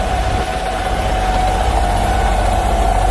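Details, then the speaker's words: International 4700 service truck, 7.3 Powerstroke diesel with Allison, PTO-driven Vanair 185 UDEC underdeck rotary screw compressor after rewiring cut PTO power: loud steady drone with even whine; compressor running normally. "so yeah this uh van air 185 system seems to work just fine now that i got my pto working here"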